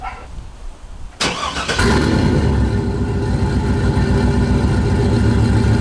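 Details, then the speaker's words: GM 5.3 V8 truck with a P0300 misfire code cranks, catches and settles into an uneven, loping idle with a stumbling beat, as if one cylinder is dead. A misfire, with a terrible smell noted. "hell yeah you guys sure that misfire it smells terrible it sounds a little bit more the house it used to sound a little bit Kemp but now you could hear it more because that's because one cylinder is not working so yeah that's a misfire"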